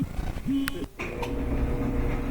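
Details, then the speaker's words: Whirlpool gas dryer after refitting the slipped-off drum belt: after some handling clatter the motor settles into a steady low hum and the drum tumbles evenly; back to normal. "sounds like it's turning yep back to normal"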